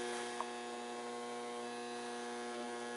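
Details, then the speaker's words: Mercury vapor yard light ballast tested on a table with bulb connected, drawing 2.13 A, 65 W, 242 VA: strong steady buzzing hum with stacked even tones, transformer vibrating and reverberating through the table; without bulb it hardly vibrates. "vibrating a lot it's like reverberating through the table"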